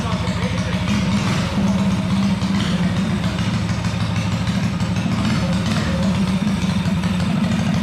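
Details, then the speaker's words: Tillotson 212cc engine with Stage 2 performance kit, ARC billet flywheel and cone air filter, just built: steady, deep single-cylinder idle with even lumpy thump audible at idle, no knocks or misses; idling normally. "Yeah, it sounds good. Dude, that thing sounds so much better now. Wow, it doesn't even sound like the same motor. No. Holy crap. No, That you is- can hear like the thump when it idles."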